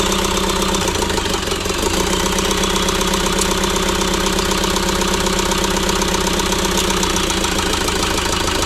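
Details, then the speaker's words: ~2006 JCB 180T compact track loader diesel running rough after swapping a suspect injector: uneven, loping idle beat about four times a second, like one cylinder isn't pulling; the problem did not follow the injector, so compression in that cylinder is tested next. "so unfortunately the problem did not follow the injector so at this point we're going to go ahead and test the compression in that cylinder"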